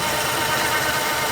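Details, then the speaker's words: 1950 Plymouth started after sitting a year or two, idling with a steady mid-pitched hum over the engine note; owner wonders if it is the water pump or possibly generator bearings; lots of vacuum, a couple of perished plug wires. "Am I just hearing the water pump? I hear it too. Or it could be the generator, I guess. Generator bearings, maybe?"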